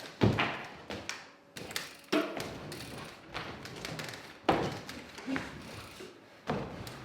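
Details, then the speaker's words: Polygon Siskiu T7 e-bike, just under a month old with 64.6 miles (about 104 km): irregular dull clunks, creaks and light taps from the front end as the bars move. The headset was left ungreased on the initial build. "that's all headset noise and there's kind of no one but myself to blame for any of those noise starting to kind of rear their head"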